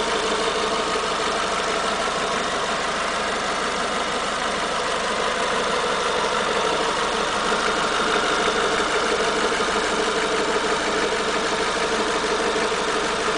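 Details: Renault Megane TCe 180 at idle: steady idle with a fine, rapid metallic ticking chatter at a constant rate; noise returned after the valve tappets were replaced, cause still unknown.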